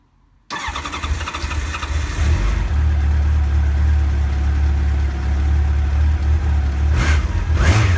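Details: 1989 Honda CBR1000F with 2014 CBR1000RR stick coils, after reseating coils that had slid off plugs due to PCV grommets: clean start, smooth even idle, two crisp revs; misfire cured.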